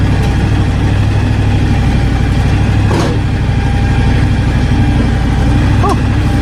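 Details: John Deere X724 tractor running with 54" snow blower fitted; steady, even low engine drone with no knocks or surging; tractor and blower running normally.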